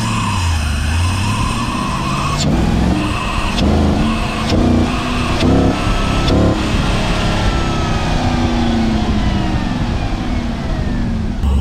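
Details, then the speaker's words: Cheap Chinese 92mm throttle body on an LS-swapped Beretta, hood off: V8 revving in bursts with a thin whistle rising and falling with throttle, a huge air-leak sound later fixed by porting with a carbide burr and tune tweaks. "okay in this video here you can hear it whistling like crazy"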